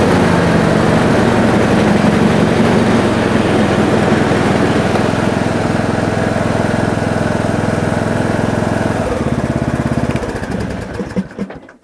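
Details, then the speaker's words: John Deere D110 mower after blade belt replacement, blade brakes left off, spark plug lead reconnected: steady even single-cylinder putter with deck spinning smoothly, no belt slap or squeal; running normally. "Fire up a little better now. Sounds like they work."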